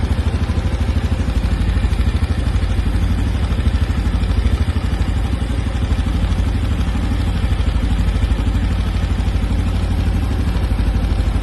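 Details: New 2025 Honda Biz 125 single at steady idle: light, regular clatter of about three taps a second over the engine; engine clatter, source unidentified.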